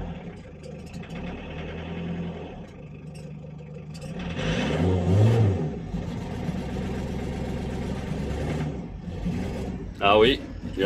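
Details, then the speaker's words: Renault Kangoo 1.9 diesel (D55), cold start: cranks, struggles, then catches with an uneven, lumpy, clattering rev that surges. Hard, rough start with smoke; an injector problem is suspected, not confirmed. "donc du coup il a du mal à démarrer"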